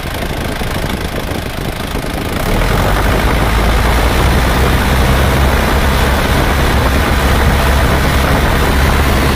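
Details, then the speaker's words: Isuzu Panther diesel after blow-by repair with new liners, sleeves and rings, at 80–81°C working temperature: steady, even idle with a deep, regular beat and no knocks or misses; sounds healthy. "Bisa terkejar dan diukur dengan termometer itu sudah 80 81 dari sudah temperatur kerja Nah suaranya seperti ini Jadi ini sudah siap"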